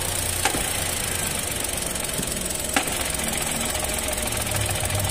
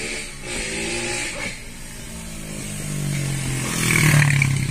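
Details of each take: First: 2023 Chevrolet Onix at idle with an aftermarket Helper clutch installed under 3 months ago: low rumbling drone and sharp clicks that change as the clutch pedal is pressed and slowly released, pointing to the clutch, not the gearbox. Fixed by fitting the original clutch. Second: Chevrolet Onix 2022, 3-cylinder, after replacing the aftermarket Helper clutch with a genuine GM/LUK one: engine hums evenly at idle while the clutch is pressed and released, with no clicking or rattling; normal clutch operation.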